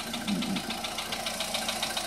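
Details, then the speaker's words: 2014 VW Polo Sedan, about 44,000 km, same oil used for two years, at idle before warm-up: quick, even light ticking about seven per second, top-end tick; owner suspects hydraulic lifters, source and cause unconfirmed. "Может, кто определит, подскажет. Вот стучит вот откуда-то, или вот оттуда, или вот отсюда."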